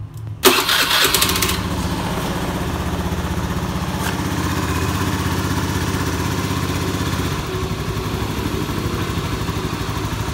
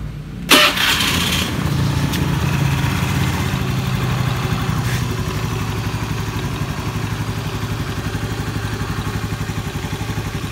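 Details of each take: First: Scooter just after a CVT service, revved with throttle blips: rough crackling rattle from the belt drive, smooth with the cover off; caused by a worn, loose pulley bearing that is then replaced. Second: Scooter CVT after pulley bearing service and greasing, previously creaking under throttle: starts and idles steadily with a short rev, running smoothly.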